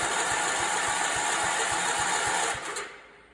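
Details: Allis Chalmers 416 garden tractor barn find with loose, partly rewired wiring: steady starter cranking about three and a half turns a second, no firing; spark present and looks moist inside, cause not confirmed.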